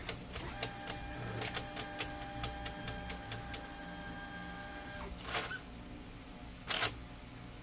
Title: gear noise when gets paper #brother Dcp-T420w, #fixed #broken #gear